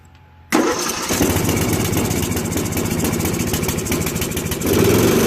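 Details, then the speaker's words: 2001 Murray Select LT riding mower after oil change and carburetor cleaning (float needle stuck open from ethanol, gas had flooded crankcase), oil burning off in muffler: fires right up, runs steady and even at slightly high idle, picking up near end; fixed. "so i let it run for about three minutes or so after i burned off all the oil in the muffler smooth now man"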